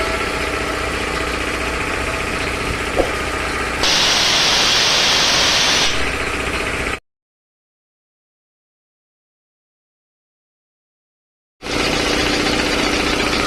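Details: 3 HP LG-model air compressor after service (belt, filter, oil indicator and oil changed): steady, even piston thump at about four beats a second over a constant motor hum; compressor runs smoothly, normal running.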